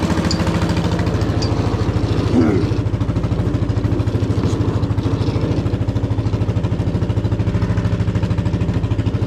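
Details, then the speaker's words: Honda Odyssey go-kart chassis with a cheap used single-cylinder engine, Amazon clutches and what is thought to be a stock carburetor, driving under load: loud, steady thumping that barely climbs in pace; motor not very responsive, owner suspects clutching and stock carb. "it's a little loud motor's not super responsive it feels pretty much like a normal go-kart"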